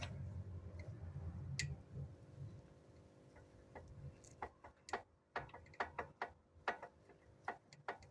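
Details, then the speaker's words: Volvo XC90 SPA PHEV B4204T35 engine, balancer shafts installed with alignment tool, shaft rocked by hand with 13 mm key before final torque: irregular light ticks from gear lash, confirming correct balancer shaft installation. "If you can hear that noise, that means you've done everything properly."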